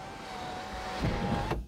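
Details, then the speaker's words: Lexus sunroof that wouldn't close, after resynchronizing by holding dial in auto position ~10 seconds: steady motor hum about 1.5 seconds then soft thud as it seats closed; normal sunroof operation. "and now it closes all right cool so that should be resynchronized"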